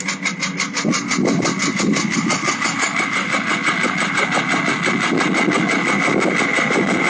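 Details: Porsche 996 late-type 911 Carrera 4, warm engine, 68,000 on odometer: quick steady metallic tick at idle, noise for about 2 months and 2000 km, vanishing off throttle; fuel pump suspected, but the engine needed replacing.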